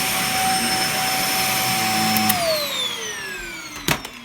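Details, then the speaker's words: Dyson DC50 vacuum after repair, on carpet: piercing steady whine over suction roar, then sliding down in pitch as motor spins down; suction restored but whine remains. "yeah that's not bad it's just so noisy it's not necessarily loud but the wine is just waning"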